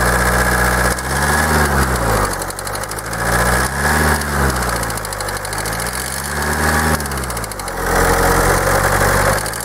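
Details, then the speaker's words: Kia 2.0 CRDi Bosch common-rail diesel idling during injector unplug test: steady regular knock about four a second, varying with small rev changes, unaffected by any injector; heard more on right side, cause not yet found. "coś stuka ale nie wiemy co stuka gdzieś tutaj kurczę bardziej w obrębie tutaj tej prawej strony słychać"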